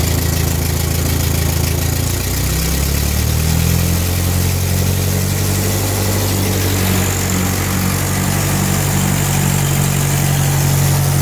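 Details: 1946 Ford tractor (called both 2N and 9N), 3rd start after full engine gasket set, carb rebuild, valve seals, bent exhaust valve fix, and timing and carb tuning: low, even four-cylinder thump easing from a brief rev into a steady idle with no misses; normal idle.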